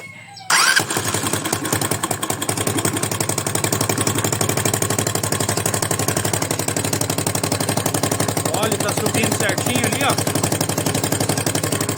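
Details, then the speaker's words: 200cc single-cylinder engine starts and runs with a heavy, uneven top-end knock; first suspected piston hitting head, found a burst camshaft bearing with rollers displaced. "tá aqui o problema pessoal o rolamento do comando estourou ali ó ó lá ó os rolinhos estão tudo para um lado"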